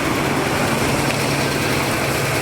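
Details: 1979 Chevy G20 van, running after sitting 35 years, exhaust pipe leak fixed, old bad gas being flushed: a smooth, even low idle with a steady hum and no ticking or puffing, no smoke; timing thought a little high. Normal idle.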